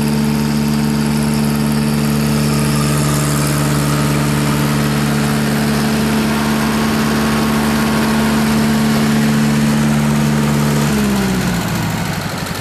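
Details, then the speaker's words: Reinco TM730 skid-mounted straw blower with a Wisconsin four-cylinder gas engine, fully serviced with new plugs, oil, filter and tune-up. Steady, even hum with an unchanging low tone, no misses or knocks, then winds down cleanly at shutoff; runs well. "as you can see there she is running working machine fellas that machine knew today ryan co still does build one with the gas engine"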